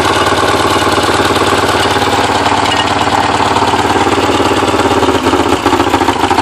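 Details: Porsche 944 started after over ten years sitting; timing belt tensioner pulley fell off in 2005, bending all exhaust valves. Uneven, stumbling idle with irregular chuffs and dropouts, never steady, smoking badly: misfire from bent valves.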